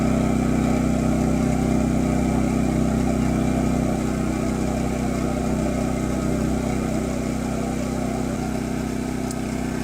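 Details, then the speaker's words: New Champion 200961 2500-watt dual-fuel inverter generator running on propane just after a choked cold start: steady, even idle hum, no misses or surging; owner thought it slightly high but judged it normal. "So, apparently this eco mode light button is a button, and you can force it into not eco mode, so it is idle right now. Sounds a little high to me, but that sounds like normal operation after I listen to i"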